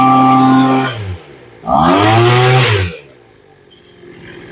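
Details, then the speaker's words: Small two-stroke engine being tuned with the carb adjustment screws. It revs up and settles back smoothly, with the pitch rising and falling evenly with the throttle. The carb seems well set. "it actually sounds pretty good and what you're doing on this what we're doing on this is as we turn the screws in we're removing the fuel"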